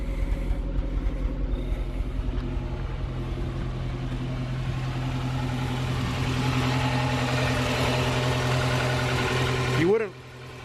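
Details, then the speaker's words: Swapped H22A Honda Prelude (5th gen) race car, misfire that appeared during hard track driving, at idle before new plugs and wires: uneven stumbling beat with a dropped pulse every few turns; one cylinder misfiring. "I mean there you can distinctly hear there's a fairly bad misfire unfortunately from back here"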